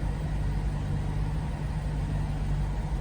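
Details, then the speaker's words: 2008 BMW X5 E70 4.8i N62 V8 idling after installing all eight Delphi ignition coils, following spark plug replacement; smooth, even low rumble with no stumble or skipped beats, misfire fixed. "okay so with this all the misfire issues got sorted out"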